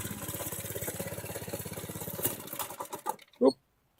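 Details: Motovox minibike single-cylinder engine after rebuild, cold day with choke on: quick, even pops at a steady fast idle before shutdown; normal, healthy running. Bike already ridden at mid-20s mph.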